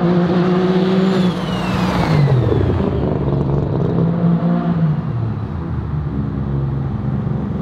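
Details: Three-rotor street-port RX-7 on a low-boost street pull: pulls hard with a wavering, uneven note that stumbles and drops out; it breaks up around 4000 rpm under boost, cause unknown.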